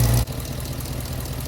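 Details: Hemi V8-swapped Jeep JK after replacing a defective power steering pump and bleeding air by turning the wheels; after a brief loud start the engine settles into a smooth, even idle with no howl or whine; sounds healthy.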